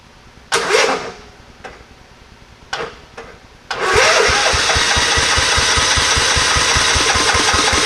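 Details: Scotts riding mower after cleaning dry-rotted gas cap rubber out of the tank: a few short tries, then steady rapid chugging about 2.5 beats a second that never catches; won't start on its own.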